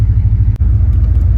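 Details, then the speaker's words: Vehicle on a long classic-vehicle haul, pulling into a campground; deep, lumpy low rumble with an uneven pulse, running rough. Owner thinks it is fuel related and plans to remove and blow out the fuel filter. "it into the state campground is running rough. But it sure seems fuel related to me."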